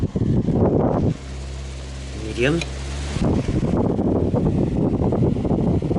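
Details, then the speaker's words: 2003 Honeywell RE-300E all-metal chrome 12-inch desk fan: steady low hum with an even airy rush, no rattle or ticking, slightly off balance but smooth. Normal running. "this thing doesn't even rattle it shakes but it's a bit off balanced but it is so smooth that's pretty powerful as well"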